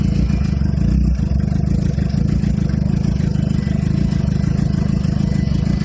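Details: 2007 Suzuki GSX-R (K6) motorcycle started cold after sitting, low uneven idle of about two pulses a second that won't rise to normal; exhaust smells very rich, a light rev previously brought it up to normal idle; unstable cold idle.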